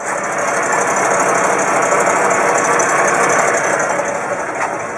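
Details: 1958 Chevrolet Bel Air V8, cold, idling after first running in years: busy, uneven tick of about three per second over a hissy background; owner suspects an exhaust leak.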